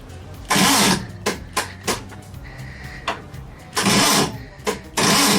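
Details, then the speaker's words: VW at a club tech session: several short, labored cranking bursts that never catch, each dying quickly; battery too low to spin the engine, needs charging. "No. I don't think that battery's happy. Yeah, I have to put a little more juice in there."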